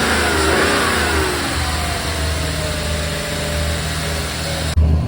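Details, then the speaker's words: 1995 BMW 540i E34 V8 after engine refresh with new seals, valve covers, valley pan and Seafoam: revs then hangs at a fast steady idle; owner suspects he swapped the throttle position sensor connectors. "so based on what I saw uh the engine's running really nice now it's idling really high that's the only issue"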